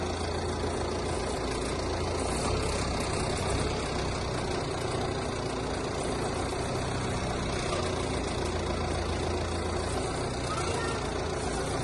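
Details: 2017 Alfa Romeo Giulietta TCT, 2.0 JTDm 175 hp diesel at idle: steady low drone with a faint constant rattle starting at idle; owner suspects the TCT gearbox, not confirmed.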